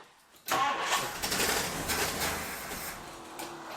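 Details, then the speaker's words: 1962 Ford Thunderbird Landau, sat several years: uneven cranking with ragged half-catches, never settling to idle, starter not staying engaged; suspected failed mechanical fuel pump not delivering fuel to carburetor, no start. "I'm fighting this battle with the starter not staying engaged so I can pump fuel through it."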